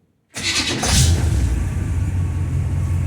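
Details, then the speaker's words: 1952 Studebaker Commander after transmission work: starter spins briskly and evenly, engine fires within a second and runs steadily with no grinding or dragging; starter sounds much better than when the car was bought, healthy cranking. "that's much better. Much better. Sounds good."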